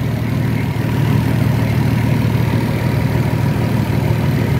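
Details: Nissan Patrol Y60, TD42 turbo diesel, just started first try after 9 months in storage (since July 2024) on a ~3-year-old disconnected battery: deep, steady diesel clatter at idle, even and smooth with no misses or knocks; normal idle.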